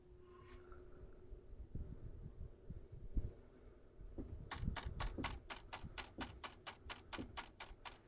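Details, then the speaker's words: Well pump water meter with a flow fault: sharp regular clicks about three a second over a low pump hum, a mechanical fault inside the meter itself. "the meter itself yeah it was like click click click click click"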